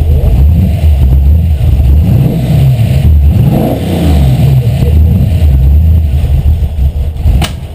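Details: First start of a V8 Miata with a bored-out Mustang 302 (5.0) and a cam, running rich with the choke flipped off. Deep, lumpy revving rises and falls, then a sharp carburetor backfire.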